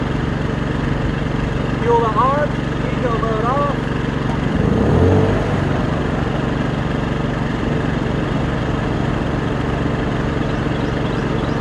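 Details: Champion 2000W inverter generator (1700 running watts), new, in eco mode at light/no load: low, even, quiet hum with no surging, knocking or hunting; normal running.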